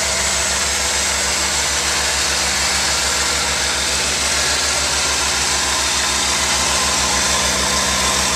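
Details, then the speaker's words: 1992 Ford Falcon 190 van, first cold start with electric fuel pump, started right up: even idle pulse under hiss, settled and steady, no knocks or misfires; temperature cold, oil pressure and voltage good. "there's the electric fuel pump and it started right up and i won't talk or anything so i'll just kind of let you hear"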